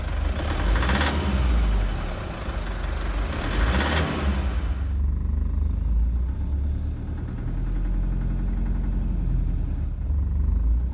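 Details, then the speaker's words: 2007 Toyota Prado 120 1KD-FTV diesel, 211,000 km, original 13-year-old injectors, coolant 35°C just after start: heavy rough knocking clatter at idle from worn, long-overdue injectors, cylinder 3 feedback stuck at minus four. "this is a typical set of injectors at two hundred odd thousand k so don't think because you haven't got a knock like this this is not injectors failed it's just worn injectors"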